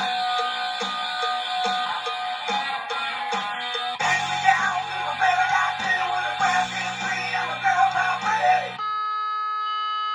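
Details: Data East Guns N' Roses pinball sound board (BSMT2000) after repair of a blown 470µF capacitor: sound test music plays back full and clean through the speaker with no hum, crackle or dropouts; board working properly.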